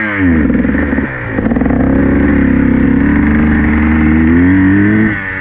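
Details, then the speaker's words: Enduro dirt bike 2.5 hours into a wet race, on throttle down a straight: revs rise and sag unevenly, labouring and stumbling as the bike bogs and loses all power; it won't clear out and eventually stops, cause unknown. "Just get on the throttle and... oh no, my bike's bogging, if you can hear that. Buh, buh, buh, buh, buh. What? It just won't go, it's just lost all power."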